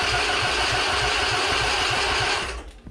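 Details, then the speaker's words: Husqvarna Z246 zero-turn mower with its safety switches bypassed and the starter jumped directly: even chugging at about three and a half turns per second, steady and strong until released; normal starter cranking. "all right the starter works"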